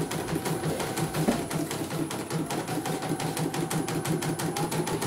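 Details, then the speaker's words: CNY embroidery machine after repair with its cover back on; it had been totally dead from a shorted motor that burned circuits: quick steady needle ticking about three per second with a light even hum, no rattles; runs normally. "Udah kelihatan bagus kan? Enggak ada kendala, Mas. Oke, ini mesinnya setelah ditutup cover dan dijalankan kembali."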